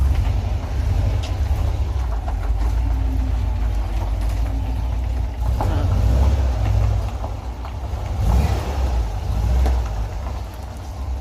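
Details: VW Kombi motorhome after muffler replacement: deep, steady engine rumble rising with revs, no banging; the pan-like banging from the old muffler hitting underneath has stopped.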